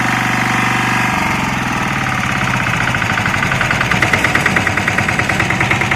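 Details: Lombardini 6LD260 air-cooled diesel on a traffic sign, just cold-started after 10 years unused on fresh fuel, alternator charging battery; steady idle clatter, note dipping and pulsing as the sign lights flash; normal idle.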